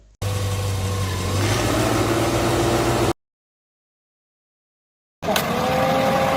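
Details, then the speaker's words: Vehicle AC switched on at idle: light click as the compressor clutch engages and centre hub starts turning with the pulley, idle note settles slightly lower under added load; normal compressor engagement. "එහෙම වුණාට පස්සේ පොඩි click සද්දයක් ඇහිලා compressor එක කැරකෙන්න පටන් ගන්නවා නම් ඔන්න compressor එක වැඩ කරනවා."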